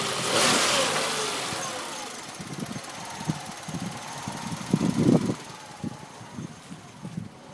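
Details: Peugeot 106 at idle: quiet idle with uneven, stumbling pulses coming and going irregularly instead of a smooth beat; rough idle, cause not evident.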